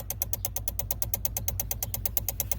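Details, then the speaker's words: 2007 Honda Civic with freshly installed replacement engine that won't start: blue main relay under the steering wheel chatters fast, about eight clicks a second over a low hum, caused by an unconnected engine-head ground. "from what i've researched the clicking sound from the relay has to do with this ground on this component right here"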